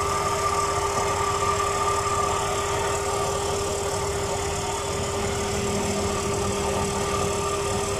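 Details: Pickup truck A/C compressor after spraying WD-40 to cure a squeal: engine idling with a steady, even compressor hum and faint tone, the noise practically gone; normal compressor running.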